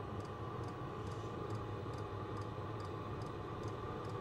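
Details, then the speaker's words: Cheap Chinese diesel heater on two Ryobi batteries, just lit after a slow start and warming to 32–34: crisp regular pump ticks about twice a second over steady fan whoosh; normal operation. "yep it's lit yep she's pumping and blowing warm air now it's getting warmer"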